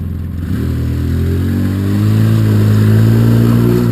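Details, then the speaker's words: Polaris Sportsman 700 EFI after a new Carter fuel pump, which had been failing and causing gulping and fuel starving: revs climb cleanly from a low drone to a strong, even pull with no misses or stumbles; normal acceleration. "right so that sounds so much better that sounds so much better yeah smooth"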